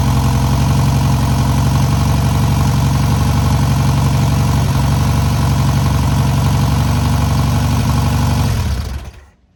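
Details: First start and break-in of newly rebuilt air-cooled VW 1600cc flat-four: steady even low putter at idle, no knocks or misses, then clean shutdown; normal idle.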